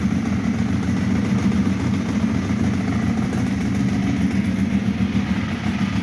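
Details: Ducati 1198 with intermittent no-start, old Yuasa battery at 12.1 V, started first try: deep, steady V-twin idle with an even lumpy beat, no misses or rattles; normal idle.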